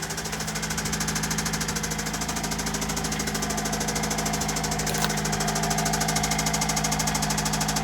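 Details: Toyota Celica with newly installed JDM replacement engine at idle after restart: steady, regular knock about two or three per second, never fading; internal knock, source unidentified, owner thinks engine needs replacing.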